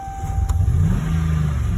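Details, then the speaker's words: 2013 Dodge Ram 1500 5.7 Hemi runs deep and rough, barely holding idle, with cylinders 6, 7 and 8 constantly misfiring on a timing fault; engine to be overhauled. "so what I got what I got here here is Cylinder 6 cylinder 7 cylinder 8 constantly misfiring at a similar rate looks like"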